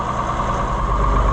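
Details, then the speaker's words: AGCO 9650 tractor diesel after belt replacement, blower and AC compressor running, heard from the cab: steady, even idle with smooth fan hum, no knocks, slaps or squeals; normal idle, compressor fault usually appears only after a long time. "We got blower. We have air conditioner compressor running."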